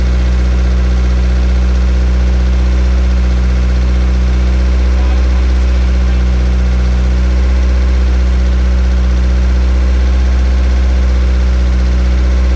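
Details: 1000 hp K-series jet boat that wouldn't restart, now running. A steady, even idle with a deep, smooth hum and no misses or knocks. Normal idle.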